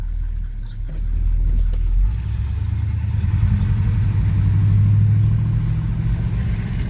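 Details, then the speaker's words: Monte Carlo after fuel filter replacement, accelerating: deep steady exhaust rumble swelling smoothly as revs climb, no misses or knocks; owner thinks it already runs better. "oh my god I can already tell you I think it's better"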